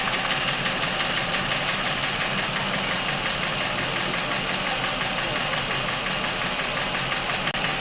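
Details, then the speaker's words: Chevrolet Epica past 200,000 km with sudden noisy top-end operation; a steady idle with a fast, fairly even light ticking from the top end, about three per second, ahead of an engine flush: hydraulic lifter tapping. "небольшая предыстория данного автомобиля пробег его давно прошел отметку в 200 тысяч километров и буквально несколько дней назад резко появилась проблема связана с шумной работой верхней части двигателя"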